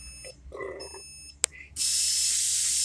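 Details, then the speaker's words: Cornerstone 45W RV auto-level system: short beeps as the jacks deploy, then a steady loud hiss as the air suspension dumps its air once the jacks are partway down. Normal leveling sequence. "turn the equalizer system on press the auto level button and it's going to beep and start beeping you're going to hear the jacks going down"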